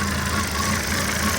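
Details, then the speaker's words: 2006 Volvo XC70 after engine rebuild, code P0016 (intake cam), still a little cold: uneven, stumbling idle with irregular misses worsening as revs sag toward idle; cause unconfirmed, intake cam part swapped and timing rechecked. "Hear it now. It's trying to come down to idle RPMs. Is getting even worse."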